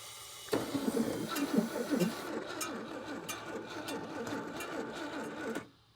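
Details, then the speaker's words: 1956 Chevrolet 235 straight six parked since 1989, cranked with starting fluid and stuck throttle: slow uneven churn about two turns a second, never catches; cranks but won't start, owner suggests gasoline. "It's trying. Maybe it wants a little regular gasoline down in with it. It's grumpy. It's so close."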